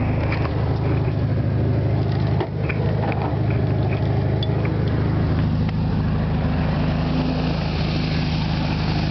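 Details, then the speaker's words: 1973 VW Super Beetle with rebuilt original 1600cc engine (about 150 miles) starts cold without pumping the gas after a carburetor cleaning and idle adjustment (about 800 rpm when warm). It fires right up and holds a steady, even, low chuffing idle: normal idle. "go ahead and start it let you guys listen to it fires right up"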